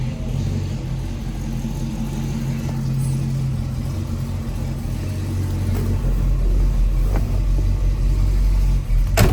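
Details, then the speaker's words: 1965 Chevrolet El Camino with a 283ci V8, Edelbrock carburetor and dual exhaust, revved after a minute or two of warm-up; a deep, even burble swells as revs climb, with no knock, miss or smoke; normal revving. "uh before I uh before I do any revving but it doesn't smoke sounds really throaty dual exhaust is just really great on these"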